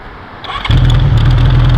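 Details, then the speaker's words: Warm 1982 Honda CB900F with Keihin FCR 35 carbs on pod filters, Vance and Hines exhaust and fresh valve job: short starter whirr, then the four-cylinder catches at once and settles into a steady, even idle; normal restart. "and uh I set it off just so see that it does restart"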